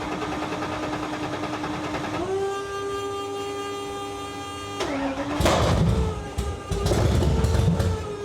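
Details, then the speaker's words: 1931 Ford Model A with 800hp Ford Coyote V8, started without coolant in engine or intercooler on a 55°F day in the shop: brief crank, catches and settles to a steady even idle, clean rising throttle blips; normal start and idle. "it runs that's that's pretty cool but we're not done yet"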